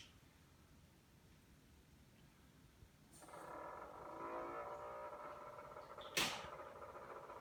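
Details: Samsung refrigerator: after quiet, a steady mid-pitched buzzing drone with one sharp click. Noise began 2/4/18; the owner is unsure whether it relates to an ice machine problem. Cause unknown.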